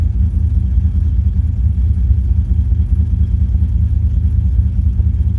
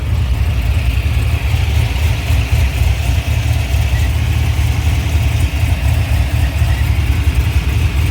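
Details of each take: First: 2005 Chevrolet Silverado 6.0 LS with Madd Maxx cam, longtubes and base tune, at startup: deep idle with an uneven, lumpy beat and irregular stumbles. Misfires with maxed fuel trims; suspected two failed ignition coils. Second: 2005 Chevrolet Silverado 6.0 V8 with MadMax 110 LSA cam, long tubes and base tune, after replacing plugs and coils for misfiring cylinders 1, 4 and 8: deep, steady, even rumble with no skipped beats; normal idle.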